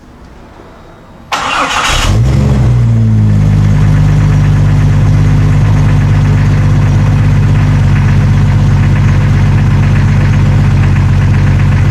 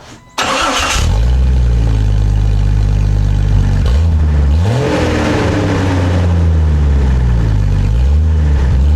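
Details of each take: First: 1999 Jeep Cherokee XJ before exhaust replacement, old welded muffler with catalytic converter: cranks, catches and settles into a steady, even deep drone at idle; exhaust sound and unbroken, owner just wants a different tone. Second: 1999 Jeep Cherokee XJ started with the old cat-back exhaust removed, running open behind the catalytic converter: engine catches into a loud, raw, deep rumble with low booming pulses; open exhaust.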